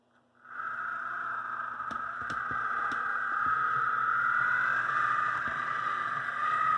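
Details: AC Gilbert Alco diesel model locomotive under restoration with the shell fitted, after the drive shaft problem was fixed and before extra weight was added; small motor whine with a steady rapid rattle at about four taps a second from the body shell.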